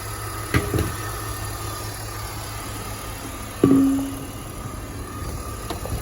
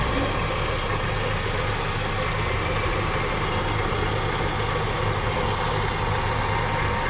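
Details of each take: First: 2005 BMW X5 idling with A/C running after replacing the A/C compressor clutch bearing, pressure testing, vacuuming and recharging; even, steady compressor hum with a few light clicks, the earlier bearing growl gone, sounding smooth. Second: 2005 BMW X5 idling with A/C on, a rough, gravelly drone under the engine note while A/C blows cold; worn compressor pulley bearing growling, compressor to be removed for bearing replacement.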